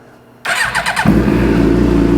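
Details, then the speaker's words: 2006 Suzuki GSXR 750, first start after transmission replacement and engine reinstall: short crank, then it fires cleanly and settles into an even, steady four-cylinder idle with no knocks or misses; no fault codes shown (C00). "Ah, sounds good. We'll let the oil circulate a little bit."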